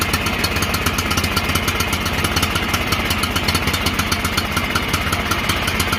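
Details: John Deere L108 lawn tractor, sat about a year, after carburetor and fuel filter work, on high throttle after freeing stuck throttle: steady even engine beat at constant speed, no misses or knocks; normal running.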